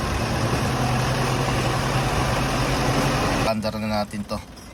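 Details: Mitsubishi Montero 4D56 diesel, after a flywheel repair fixed its clicking noise: even, steady, normal idle with a smooth low beat and no clicking or knocking before it shuts off.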